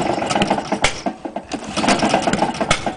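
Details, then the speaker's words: Honda lawn mower, no blade, run on white spirit and ether with cam chain timing two teeth out and crank bearing completely gone; rough, stumbling running with sharp irregular knocking from the failed crank bearing. "just like to point out the timing is too teeth out on the timeing chain crank baring is completely gone hence the knocking"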